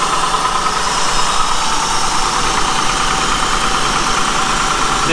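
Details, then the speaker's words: Honda, 102,000 miles, valves out of adjustment and too loose: steady fast metallic ticking clatter over the idle; valve train clatter from loose valve lash needing adjustment. "this car in particular i can tell you just by listening to it they're too loose there's a lot of clatter and valve train valve train noise in this car"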